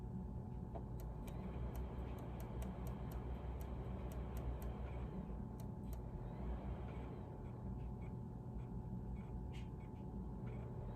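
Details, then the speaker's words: Used PS3 tested with a mint ModNation Racers disc to rule out off-balance disc: same faint irregular clicks over low hum as with SmackDown vs Raw; not a disc balance issue, drive clicking fault. "there's that same noise that it made with the smackdown versus raw so yeah i don't think it's a disk balancing issue"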